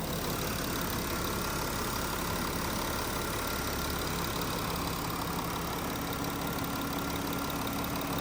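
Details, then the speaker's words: VW Touareg TDI, about 150k, running after no-start repair during a diagnostic regeneration, temperatures coming down: steady even diesel idle, smooth low rumble, no knocks or misses; normal idle. "Still running. And I believe it'll be fine. The engine didn't seize up yet. That's always a good thing."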